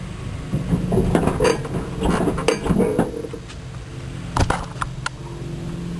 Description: car suspension is making weird noises.